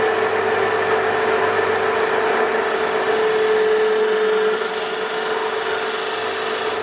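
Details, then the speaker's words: 1966 Soviet Stanko 1a616 lathe running in reverse, rubbing noise: a harsh continuous scrub over a steady mid tone from underneath; the belt is suspected to be rubbing on something. "so cool it's making some pretty terrible noises from down here sounds like the belt's like rubbing on something"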